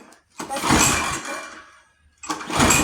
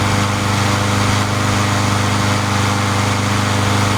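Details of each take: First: Free junk pull-start lawn mower with starting fluid sprayed in: two quick pull bursts, turns over but won't catch. Owner feels little compression; spark not yet checked, plug found pretty wet. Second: Free junk mower, restarted about an hour after last run following a replaced part: small single-cylinder engine runs with a steady, even beat at constant pace, then winds down cleanly; sounds healthy.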